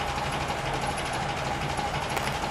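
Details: 1936 Alvis drophead coupe idling after sitting unstarted for a year, already started: steady, even idle hum with a smooth rhythm and no knocks or misfires, an old engine ticking over happily.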